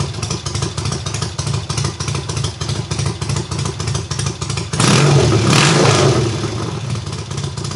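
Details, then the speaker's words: Triumph hardtail, first start after the engine sat almost a year: full cold start on the third or fourth kick, very loud steady exhaust of about three pulses a second, briefly louder on a throttle blip; runs evenly, healthy. "well holy crap that is so freaking loud but if we can start up on like what the third kick fourth kick something like that and that was I swear on my life that that was a full-blown cold start"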